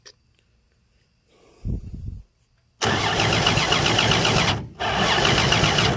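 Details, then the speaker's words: Free 239 3.9-liter V6 first start, fuel poured into carb via homemade adapter; short labored crank stumbles then bursts into rough, loud run; hard starting from over-advanced ignition timing, to be backed off. "okay got too much advance there don't i let's go back a little bit way too"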